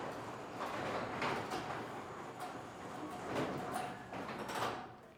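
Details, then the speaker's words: Garage door running after its old rollers were lubed, with the motor and sensors also fixed; the rollers were not upgraded. Soft scattered roller clicks and a light rumble, with no grinding or binding; it runs smoothly and is in good condition. "The customer here decided not to upgrade his rollers in the track. When you do that, it will take away a majority of the rest of that noise, but still the door operates and it's in good condition."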